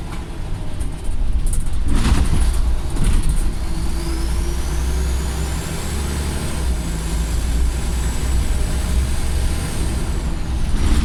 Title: Extremely loud turbo whistle and engine ticking on a Former Go Ahead North East scania solar